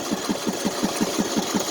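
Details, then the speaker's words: Neglected Craftsman T150 riding mower before oil change: uneven thumping about five or six beats per second, stumbling and smoking; misfire attributed by owner to lack of oil, with a knock. "now if you listen you can hear a misfiring that's from lack of oil"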